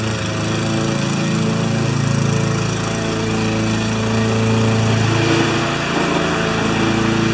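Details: Normal running under load on a Briggs & Stratton mower with a Pulsa Prime carburettor, which had a flooding carb and diaphragm issue. During a test cut the engine drone is steady and even and holds its pitch, with no surging or dropping.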